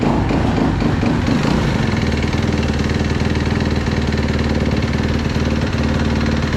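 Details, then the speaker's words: Fuel-injected Kawasaki KX250F four-stroke dirt bike after replacing the clogged fuel pump filter strainer that caused lean bogging and backfiring: steady even single-cylinder thump at idle, no stumbles, misses or popping; normal idle. "It's amazing how smoothly it idles now, just because of this $9 part."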